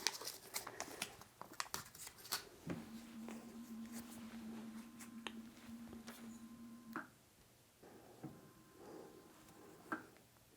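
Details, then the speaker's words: Golden Motor 10kW electric motor on a Kelly KLS-79100N controller, very first power-up during the controller's angle-identification calibration, contactor heard clicking: soft steady low hum for about four seconds amid handling noise; the motor spins up cleanly, normal. "it's the very first start of the motor"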